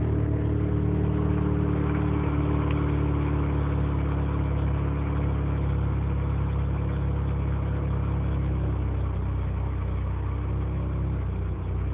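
Three-rotor idles low and uneven, its beat loping at about two pulses a second with irregular stumbles; rough idle, cause unclear.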